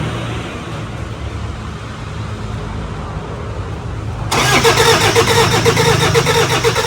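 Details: 2005 Toyota Fortuner diesel with morning white smoke, after new injectors and return rings were fitted: it cranks briefly, catches at once, and settles into an even, steady clatter with no misses. A normal start and idle.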